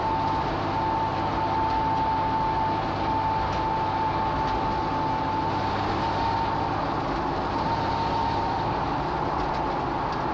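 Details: Jeep TJ rear axle, Dana 35 with Super D35 kit, Detroit locker and 4.56 gears: thin, steady whine over the driving rumble from the rear end while driving.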